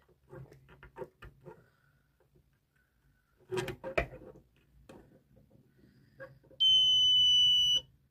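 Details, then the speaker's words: Continuity tester module with buzzer: probes touched across both ends of a wire give a clean, steady high-pitched beep for about a second, showing continuity; no sound when the connection is broken. "می‌بینین که صدا میده ولی اگه قطع باشه صدا نمیده"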